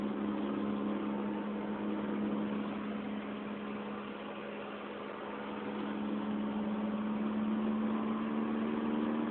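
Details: 2004 Honda Fit GD3 1.5W at about 50,000 km, four years old, driving, phone mounted in the car: steady low drone under road noise; worn rear hub bearing.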